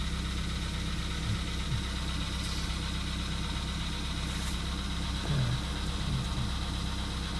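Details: VW Polo Sedan (CFNA), 102,239 km, cold start at −2.5 °C, not-fresh oil: cold idle with a light, uneven ticking knock over the steady hum for about two minutes, cause not pinned down.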